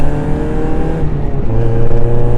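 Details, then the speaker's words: Restored Mazda MX-5 Miata (Eunos) on its first drive after MOT work: lively four-cylinder pulling and revving up, a bit noisy through the exhaust but smooth and even, no misses; normal engine revving. "Bit noisy maybe, but oh, it's fun. That's absolutely fantastic. No, it's running absolutely great."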